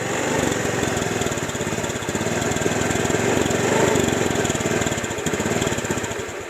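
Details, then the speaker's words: Honda Vario eSP scooter, easy to start but stuttering and cutting out at low throttle and low rpm, sometimes stalling; injector and TPS already replaced without fix; cause found to be a leaking exhaust valve. "jadi ini motor baru awal datang kemarin ya untuk hidupnya mudah tapi ketika gas bawah gini ya dia nyendat-nyendat dengarin Coba"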